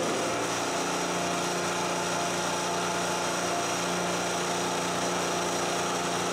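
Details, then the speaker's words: Harbor Freight 3000-watt portable generator running on gasoline after the carburetor adapter was fitted for a propane conversion: a steady, even drone with a constant low hum and no surging or misses. Running normally. "okay so it's running on gas not that big a deal it's like swapping out a carb"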